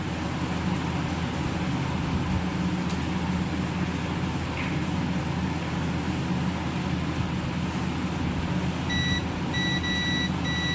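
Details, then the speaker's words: Samsung Guru FM Plus (SM-B110E) keypad phone, full short, won't turn on: multimeter continuity beeps in bursts across both ends of a board capacitor, showing the capacitor is shorted; it is to be removed. "Board வந்து பார்த்தீங்கன்னா beep sound வருது 2 எண்ட்லேயும். அப்போ இந்த capacity எனக்கு ஷார்ட்டாக இருக்குது."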